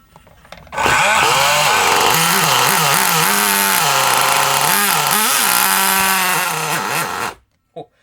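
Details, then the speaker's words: Kyosho Mini Inferno nitro engine, after needle adjustments, gives a loud buzzy two-stroke wail that blubbers and bogs between revs. The owner says it runs really rich for some unknown reason; the throttle also stuck at full until the glow plug was removed. "that's just that's just really rich is that's just really really rich for some reason"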